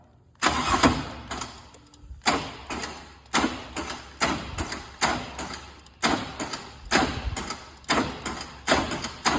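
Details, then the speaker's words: 2000 Chevrolet Camaro with suspected bad battery, cranked via a remote starter switch because the key's crank signal isn't reaching the starter: heavy, laboured pulses about once a second, engine never catches and seems to lock up; later started with charger connected. "now so crank for a second but then look like it's locked up that ain't good"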